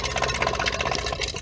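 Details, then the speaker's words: Whale FP0184 Watermaster pump in a 16-month-old Bailey motorhome, after fixing the switch following winter no-flow fault: small electric pump chatters at a quick, even beat, reaches pressure and cuts out cleanly; normal pump running. "you can hear the pump running now bit of a gurgling sound but no speak spring it that motive up to pressure there we go now the motors got to pressure and it's cut itself off"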